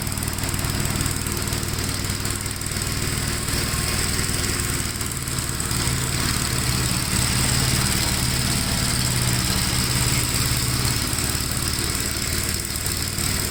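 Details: 1957 Gravely tractor mowing wet grass: a steady, even single-cylinder thump holds speed under the mowing load with no knocks or misses. It pulls strongly with power to spare and runs normally.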